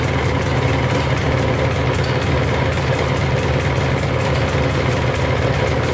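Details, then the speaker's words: Polaris 400L 4x4 ATV, 400cc liquid-cooled two-stroke, cold on choke: a steady, fast burble with an even beat and no knocking, smoking out the back, plus a rattle apparently from a broken exhaust mount; idles fine. "It's idling pretty good right now. Right, sounds pretty good. I don't hear any knocking too bad."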